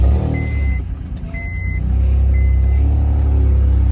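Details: 2004 Honda Accord 3.2 after installing a new PCD (pre-converter/down pipe) and J-pipe to cure an exhaust leak: deep, smooth exhaust note climbs evenly with revs, no puffing or ticking; exhaust now sealed, normal.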